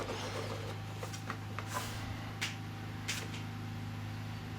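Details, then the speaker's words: Delonghi DEM10 dehumidifier sold as faulty, producing no water: steady low cooling-fan hum with faint clicks but no compressor drone ever starts; the compressor isn't running, traced to a failed power-supply capacitor. "yeah i can hear the fan running the actual fan motor that's the cooling fan is working but the compressor is not working no it's just not working as he said it's pretty much dead"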